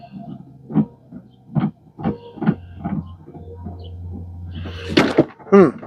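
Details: 2016 Chevrolet Equinox wiper motor, a Chinese replacement just installed: steady low hum with a loud groaning clunk every half to one second as it sweeps; motor itself suspected noisy.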